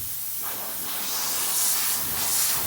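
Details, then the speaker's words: Porsche 944 Turbo exhaust manifold off the car, no engine running, pressurised with air through CNC test flanges; a steady sharp hiss escapes from a big soot-marked crack between the flange and the pipe: cracked manifold leak. "a big crack between the plans and the pipe you can see the soot from the exhaust"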